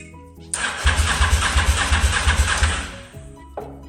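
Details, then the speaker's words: Honda motorcycle stored 5 years, ignition bypassed: starter cranks about three beats a second with ragged firing that never catches; cranks and fires but won't start due to fouled spark plugs, to be replaced. "no no go but she's firing and you we've got power to the clocks right so although I've got power now to the bike and it is turning over you can see that these plugs are full B so I'm going to SW swap them out"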